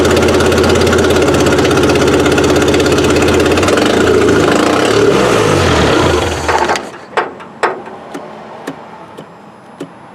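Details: Suzuki Sidekick after 8-valve to 16-valve engine swap, first run, timing around eight degrees before top dead center: even, steady idle for about six seconds, then cuts out to clicks; suspected arcing harness wire, possibly to an EGR solenoid, blowing fuse.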